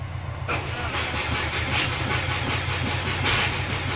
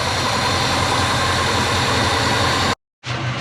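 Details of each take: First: Subaru Forester on Haltech ECU, battery around 13.3 V and dropping while cranking: steady cranking with even compression pulses that never catch. Won't fire; later traced to fuel-fouled spark plugs and a weak battery. Owner briefly suspected the starter. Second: Subaru Forester on Haltech ECU fires up after a no-start and settles into a steady, even idle with no misses or knocks. Cause was fuel-fouled, flooded spark plugs plus a battery low from accessories left on overnight.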